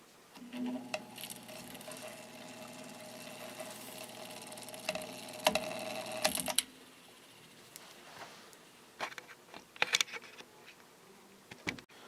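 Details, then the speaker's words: Vintage GE window ventilator fan motor after oiling the bearings with thin then thicker oil, blade removed: the hand-spun rotor gives a light, steady whir for several seconds before fading; bearings turn freely. "this thing is spinning super free now it takes a long time for that rotor to come to a stop so I'm pretty happy with that"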